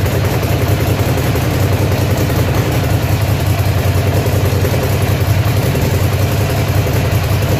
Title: ducati monster 696 795 796 1100 with engine misfire problem!!!